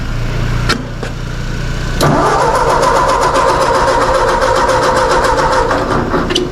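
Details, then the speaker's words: 2008 Mazda 3 with a suspected battery draw, cranked on a very cold day; starter turns over at a steady, even beat for several seconds but the engine never fires; suspected flooded, not confirmed. "Still nothing, huh? Sounds like she might be flooded."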